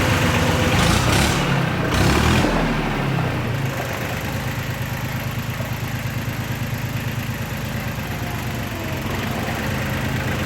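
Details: Yanmar YM276 tractor diesel after clutch and pilot bushing replacement: even chug about three beats a second after a brief rev, settling to a smooth steady idle with no knocks; normal running.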